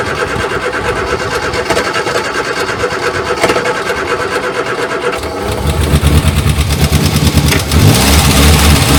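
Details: Morris Minor 1000 after long sitting, spark plug done, battery booster used: slow cranking with a few weak catches building toward firing but never running; nearly starts.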